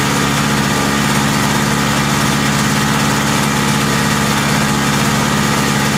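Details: Lawn-Boy Insight single-stage snow blower after service with a new spark plug, exhaust hooked up: steady, even two-stroke drone at constant speed, no surging; previous rpm surge gone, running stable.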